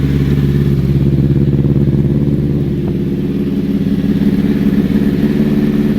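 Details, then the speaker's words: 2005 Honda CBR1000RR being rebuilt, after adjusting the balancing shaft: deep, steady idle with no whistle or whine, though slightly uneven and rougher than before. The idle adjuster on the AC thermal valve may need fine-tuning. "That sounds so much better. Okay, so bike sounds way better. The whistle is gone."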